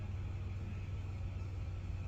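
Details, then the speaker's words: 1993 Dodge Grand Caravan LE, warm, about 70°F day: radiator fan was staying on high and has just switched off. Deep smooth even idle. Owner later suspects an air bubble in the coolant. Normal idle. "there it goes look at that fan just kicked off it's idling fine now"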